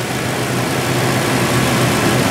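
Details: Ford 2-valve 4.6 V8 after new Dorman intake manifold replacement, cold damp day, warming up at idle, coolant about 140, no check engine light: smooth steady idle, even low rumble with fan hiss, no ticking or stumble; healthy.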